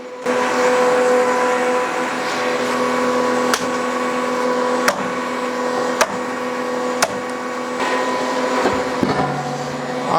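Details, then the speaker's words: Solis SV24 all-electric 24HP tractor running the hydraulic pump of an American CLS 3-point log splitter with a single-way wedge, splitting a large knotty log: steady electric whine with no tone change while wood cracks sharply. It handles the load normally. "I didn't even hear the tone of the tractor change at all it handled that no problem"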